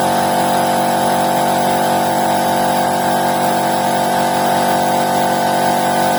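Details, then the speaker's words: Electric piston air compressor with 2.2 kW motor, after repair of a stuck stator-winding switch relay that made it hum and trip the breaker, restarting under tank pressure: steady, even, strong mid-pitched hum and clatter, working normally. "вление сейчас Компрессор работает Согласно своим техническим требованиям мы вам это продемонстрируем"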